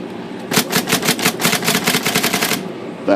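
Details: IBM Selectric 3 typewriter after a tangled rubber band was removed from the shaft bearing area to cure stalling: crisp, rapid key strikes at about eight per second with no stalls; it now types normally.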